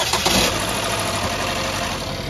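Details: 2015 Terrain no-crank fixed by reconnecting the unplugged transmission control module plug: brief crank catches at once, settling into a steady, even idle with no knocks or misses; normal start and idle.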